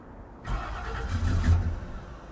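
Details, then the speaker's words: Ford Ranchero carbureted V8 at about 20° cold, cranking briefly then catching roughly and surging while the choke is worked, reluctant to fire on a cold start. "20° in a carburetor not always the best"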